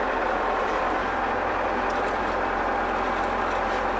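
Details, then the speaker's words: German E303 mower during drive-belt replacement, running in second transport gear. A steady, even engine drone with no slipping belt squeal or knocks from the drive. Everything basically works. "Хорошо, вторая транспортная шестерня. В принципе, всё работает."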